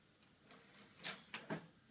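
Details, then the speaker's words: Dell Inspiron 530 desktop at power-on in a quiet room: three sharp, light clicks about a third of a second apart with the hard drive light solid. The owner suspects a failed hard drive; two drives are installed. "think the hard drive has finally failed then. The hard drive light is just solid. See if we can hear it click again."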